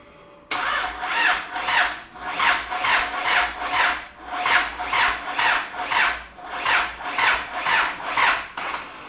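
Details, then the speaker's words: Isuzu 4JJ1 diesel swapped into a Nissan Patrol, first start attempt with the fuel pump fuse pulled. It cranks slowly in even whirring pulses and never catches. Owner hopes it is a weak battery, not a locked-up transmission, and tries a jump pack. "it wasn't cranking very fast then so I'll try and uh put the jump pack on it hopefully that was the battery and it's not something sinister like the transmission being locked up"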